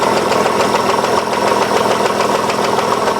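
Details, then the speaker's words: 2003 Hyundai Sonata 2.7 V6 (G6BA), idle: half-dull, half-ringing regular knock about three to four per second, heard near the right cylinder head and clearly from underneath, present at all revs; engine recently hard to start; suspected chain hydraulic tensioner, cause unconfirmed. "ну и слышно очень такой полу глуховатый полос звонкий стук двигателя вот такой вот слышно скотт уступ наносится где-то где-то правой головой причем внизу его тоже хорошо слышно"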